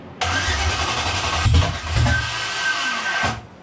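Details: LS V8 with sensors unplugged to raise idle: it catches and stumbles for about three seconds with uneven bucking pops, running rough and rich, then dies. Owner suspects cam timing is a couple of teeth off.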